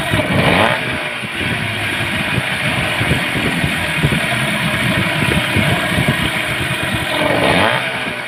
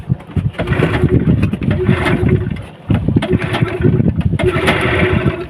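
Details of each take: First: Yamaha 15 hp outboard restarted after replacing a weakened ignition coil and fixing a flooded carburetor, suspected stuck float needle. It had been hard-starting and lacking power. It fires and settles into a steady, even beat with no misses or stumbles, running normally. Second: Yamaha 15 hp outboard, hard to start and no power at full throttle: repeated cranking bursts that catch and stumble with no steady idle, caused by a weak ignition coil and clogged carburetor.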